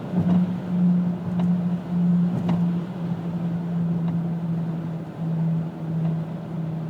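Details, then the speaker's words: 2000 Pontiac Grand Am GT cruising, with hub bearings replaced twice, new driver-side CV joint, calipers, pads and rotors: steady low hum under road noise with vibration sometimes felt underfoot, starting around 35–40 mph; cause unknown. "it's a vibration I can feel it sometimes under my feet sometimes I can't uh I don't know know i' have both the hub bearings replac twice you know the noise just won't go away and it really starts to show itself about 35 40 m an hour"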